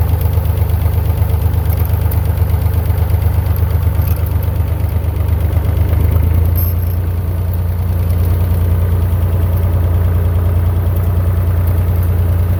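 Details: Massey Ferguson 35 Perkins diesel tractor after cheap rebuild (honed cylinders, head cleaned, new gaskets), test drive in second gear not yet fully hot: deep even thrum pulling steadily under load, no knocks or misses; no longer smoking, plenty of power.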